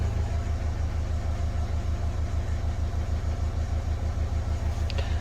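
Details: Renault Kangoo K9 diesel that flagged the glow-plug warning, lost power and would not rev, started after reassembly with the accelerator pedal sensor checked: steady, even idle with a regular low throb and no knocks or misses. Running cleanly.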